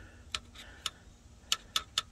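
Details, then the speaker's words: 1987 Freightliner FL86 cabover with Big Cam Cummins: five sharp irregular starter clicks, no cranking; starter spins freely when jumped but won't engage under power, suspected loose ground between solenoid and starter. "So the starter rotates, it's just not engaging when power is put to it."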